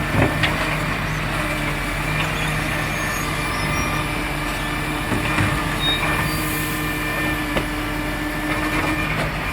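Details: Marion garbage truck SL01300 diesel after exhaust leak repair; steady even rumble under light load, occasional air hiss, no puffing or ticking from exhaust; normal running.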